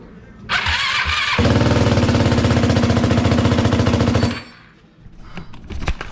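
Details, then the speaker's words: Yamaha YFZ450 single after a top-end rebuild, first start on carburettor fluid poured in: catches and runs a few seconds on an even beat of about 200 pulses a minute, no knock or rattle; normal running. "Okay, that's the first start. That didn't sound too bad. That sounded good."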